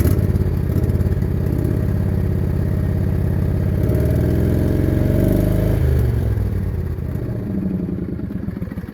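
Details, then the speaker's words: John Deere LA105 mower, previously had a plugged fuel line, idles fine at low idle but stumbles and surges unevenly when given throttle; suspected partly plugged carburetor main jet, replacement carburetor ordered. "you can hear one of those typical issues with the intex uh bad carburetor unfortunately um most likely the main jet is plugging the carburetor"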